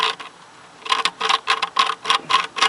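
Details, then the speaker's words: 1995 Harley-Davidson Sportster, clutch disassembled, fresh oil: gritty clicking bursts as the clutch release (throwout) bearing is turned by hand; rough worn bearing, filings on drain plug, case to come off. "that feels real rough and I believe that's the throwout bearing right there sure don't sound right"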